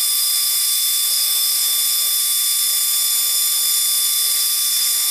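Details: 20mm 3D-printed EDF fan with a 0703 brushless outrunner and clipped 3-blade propeller on 2S (about 2.9A, 26g static thrust) at full throttle: a steady high-pitched whine over rushing airflow hiss with no stutter, a normal full-throttle run.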